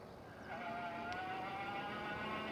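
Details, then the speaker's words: Stellar Falcon mid-step e-bike being ridden on the road; steady whine rising slightly with speed over road hiss, normal hub motor winding, noisier than the rider likes but improved from before. "I know Mrs Wright doesn't like the the winding of the motor she prefers a quieter ride"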